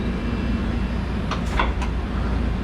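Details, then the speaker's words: 1998 Okuma MX-45VA vertical machining center automatic tool change (M6, tool 6, tool preload possible); three brief crisp clacks over steady hum, fast, smooth change with no grinding. "So the pot's changing. Super fast tool change. And you can preload your next tool too."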